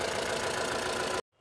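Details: Mahindra Bolero Camper 4x4 pickup diesel after repair of EGR fault P01940C, reduced pickup and engine light, previously shaking: even idle with steady low clatter, no shaking or stumbling, before shutoff; runs smooth.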